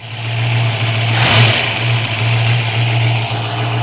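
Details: 1965 Mustang 289 V8 with a newly installed Holley 650 vacuum-secondary carburetor, choke circuit just leaned out during initial tuning: steady, even idle with a low, smooth beat and a brief blip, holding speed cleanly.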